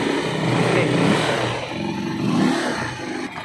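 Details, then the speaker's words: Euro 150 motorcycle engine after repair, with the clutch lining and timing gear replaced following a damaged camshaft: revs rise and drop back cleanly a couple of times, no tapping or rattle under the exhaust note; the noise is gone and it is healthy. "guys Yan na po ayos ayos walang ingay Okay ning maayos na po yung tunog niya"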